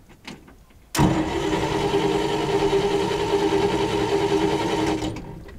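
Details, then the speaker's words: 1969 Fargo 500 (Dodge butterfly-hood) dump truck, said to be diesel, cranking with no start: steady even cranking churn for about four seconds, no catch; fuel starvation suspected, tank may be empty and the stuck fuel cap can't be removed to check. "may not have no field in a fuel tank so we're trying to get the cap off the fuel tank which is right and we cannot get the cap off so we don't know whether this fuel in it or not"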